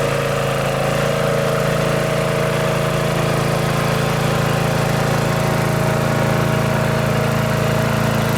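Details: Riding mower at full throttle on its original muffler, before a quieter exhaust is fitted. A steady, even single-cylinder drone with a regular low thump and no misses or knocks: normal running.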